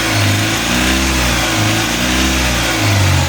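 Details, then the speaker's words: Mahindra Supro diesel that would not start with no trouble codes, now running after the faulty rail sensor was dealt with: picks up and holds revs cleanly with an even drone and no knocks or misses. Still no codes; sounds normal. "देखिए यह गाड़ी जो है start हो गया इसमें जो rail स खराब था ठीक है रेस में खराब था तो बली कि गाड़ी मेरा फेश हो गया फिर आ गया नो डबल बोट गाड़ी में पहले भी कोई बोट नहीं था गाड़ी रेस भी सही हो रहा है"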